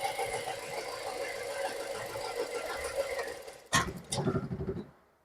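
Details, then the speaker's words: Renault Duster with a rebuilt engine, backfiring from the exhaust and smelling strongly of petrol: a rough, uneven idle sags, clunks, and dies when the cylinder 3 wire is pulled during a cylinder drop test. "और अगर हम तीन number तार निकालें। अभी देखो गाड़ी पूरी बंद हुई है। गाड़ी बंद पड़ने लगती है।"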